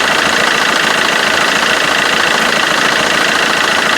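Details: Vauxhall Corsa D 1.3 CDTI after replacing the alternator pulley: steady, even diesel idle with no flapping or chatter from the auxiliary belt; normal.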